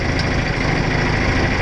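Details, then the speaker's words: John Deere 410 backhoe diesel, cold weather, just started with ether and a jump start after a fuel filter replacement: lumpy, surging idle that rises and dips, indicating air still in the fuel line. "She came to life. You hear that jumping? That's a pretty good indication that we didn't quite get all the fuel out. I mean, all the air out of the fuel line."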